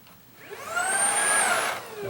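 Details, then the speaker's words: Shark ICZ362H Vertex vacuum after repairing the broken brush roll wire: smooth whir rises, holds about a second, winds down; brush roll comes on and runs normally in a quick test before reassembly. "all right now before I put it away I'm just going to turn this on just to make sure it comes on just for a"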